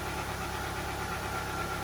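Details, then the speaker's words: Audi A2 just after an oil change, new oil filter and new spark plugs, first start: started immediately and holds a steady, even hum with no ticking, knocking or squeal; healthy idle. "Sounds good so far though. Not making any funny noises. Started immediately."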